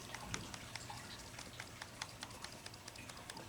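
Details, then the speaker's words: Empty Colt Gold Cup Trophy 1911 pistol shaken by hand: light, uneven clicks about twice a second from slight slide-to-frame play; ordinary rattle, not a critical problem. "If you listen to that very carefully, you'll hear a little bit of rattle. Okay, so let's talk about that rattle on this nice Colt Gold Cup."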